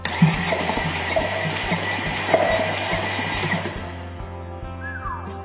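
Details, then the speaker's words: Salvage Audi S6 cranked with new starter, engine ground temporarily clamped to block, all spark plugs out so only one cylinder compressing. Even cranking with firm thump about three times a second; that cylinder sounds like healthy compression. "Well, it cranked. Sounded like we had some compression."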